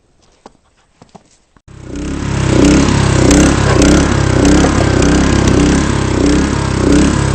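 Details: Honda HS-55 snowblower, cold start on regular gas, starts in two or three pulls: small single-cylinder engine settles into a steady, even beat without misses or knocks; running normally.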